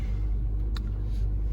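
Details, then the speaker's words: 2013 Honda Civic just started, check engine light, code P0301 cylinder 1 misfire: car shaking and vibrating, deep uneven idle rumble with lumpy low throb; spark plug and coil on cylinder 1 to be inspected. Cylinder misfire. "I have a cylinder 1 misfire P0301, and the car is really shaking here."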